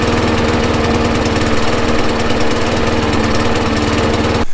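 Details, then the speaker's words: Neglected Craftsman 21" push mower with Briggs & Stratton 6.75 engine, run after carburetor cleaning with the air filter off: fast steady single-cylinder beat with a ragged, uneven edge; owner suspects it is still clearing out after sitting wet in the weather. "now you notice it sounded like it wasn't running quite right in that clip it's probably cause it's still trying to get his head straight"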